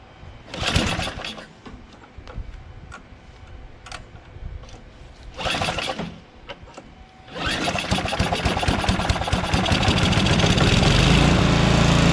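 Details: Small engine after a conversion, after opening the fuel shutoff and priming: catches after a few tries, then settles into a fast even patter near four beats a second, running cleanly.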